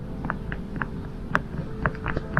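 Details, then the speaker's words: Worn CV joint on a Vauxhall/Opel Calibra driveshaft, removed from the car and flexed by hand, gives sharp, dry clicks about three a second, clicking badly even off the car. "Next up were the CV joints of the axles. You can hear they're clicking badly even outside the"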